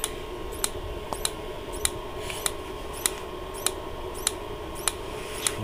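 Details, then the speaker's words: Dometic Americana RV fridge on propane, gas smell noticed: sharp regular ticks about every 0.6 s, no flame catching; igniter sparks but burner never lights, suspected no signal to open the fuel. "trying hard to work on gas it's just not getting the signal to turn on the fuel so it just goes sorry buddy when"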